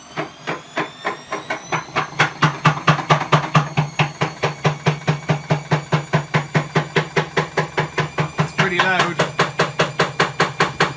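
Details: Bosch WAE24366 washing machine that trips the circuit breaker, drum spinning up well below full speed; loud sharp clicks two to three times a second over a low motor hum from a broken drum spider.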